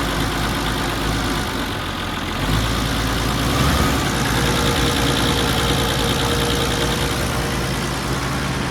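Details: Allis Chalmers D17 Series 4 tractor, started after torquing head bolts and adjusting valves, where a loose tappet adjuster was locked with a lock nut: steady, even idle with low chug and light, regular valve clatter; sounds healthy.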